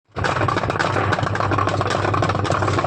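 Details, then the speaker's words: Samsung top-load washing machine: loud, constant clattering rattle over a low motor hum from broken pulsator pieces. "दोस्तों अगर आपके घर की washing machine भी इस तरह से खड़खड़ की आवाज कर रही है तो आप यह वीडियो पूरा जरूर देखें"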